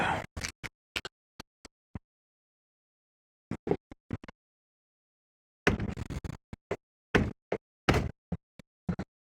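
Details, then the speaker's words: Fiat 500 Sport, boot shut and latched but still loose: bursts of sharp hollow knocks in quick clusters as the lid is rocked, movement over bumps; adjusting bump stops didn't help, cause unknown, needs adjustment. "so that for some unknown reason is not tight so when you go over a bump the there's there's movement in that"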